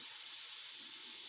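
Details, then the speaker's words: Samsung WindFree 2.0 indoor unit coil replacement: steady airy hiss as the flare fitting on the new coil's head is broken and its nitrogen holding charge releases, as expected. "It should have a nitrogen charge in it. You should hear the nitrogen come out. Exactly like"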